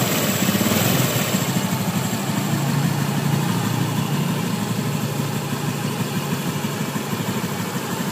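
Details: Honda Beat F4 eSP scooter after an engine teardown and repair: a smooth, even low idle with no knocking or bottom-end rattle. The earlier harsh, sewing-machine-like noise came from the connecting-rod bearing and rod; disassembling the CVT alone had not cured it.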